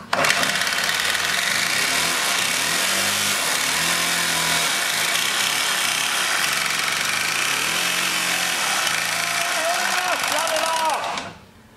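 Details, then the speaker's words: Stihl 4-Mix backpack blower, run with non-Stihl oil: revs up and down with a harsh, rough mechanical edge under the roar, not a loose flywheel; serious internal engine defect. "yeah that's the noise it's making so you probably think that there's just something loose and rattling around yeah maybe the flywheel came loose or something no that's not it it's got a serious engine defects"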